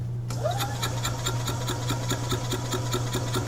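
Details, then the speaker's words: 2004 EZGO TXT gas golf cart, crank no start after sitting unused, good spark: starter cranks with a fast, even, light chugging and no catch; compression test shows low, under 90 psi on cylinder 1. "can see we got low compression under 90 psi cylinder 1"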